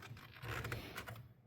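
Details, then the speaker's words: Old squarebody Chevy C10 after a tilt steering column install: pressing the horn button gives a few light dry clicks from the horn relay but no horn note; the horn wire was still hooked to the previous horn. "So, now that we're past that painful conversation, um, we put the steering wheel in and all of the wiring inside from the column down to the horn relay works. When he pushes the horn, you can hear the relay click."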